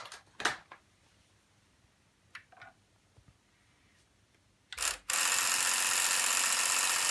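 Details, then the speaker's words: Sony SL-F3 Betamax deck (junk unit) running with its toothed rubber belts removed: a few light clicks, then a sudden loud, hissy mechanical whir that holds steady, far louder than normal; cause suspected, not confirmed. "なにこんなうるさいのこの音が。"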